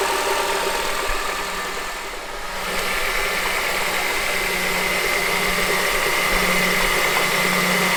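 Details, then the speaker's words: 2007 Honda CR-V: steady light knock about three beats a second at even idle, radiating up through the top of the engine; worn AC compressor clutch, later replaced. "so as you can hear that was more of a knocking noise and I actually changed that air compressor clutch with one that I bought off of eBay"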